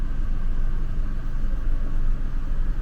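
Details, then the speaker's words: Gen 10 Ford F-150 with the 4.2 L V6, idling after a smoke test found and fixed a vacuum leak that had caused a rough idle: a smooth, even low rumble with no stumble or hunting. "man it's running smooth as silk now there is zero rough idle"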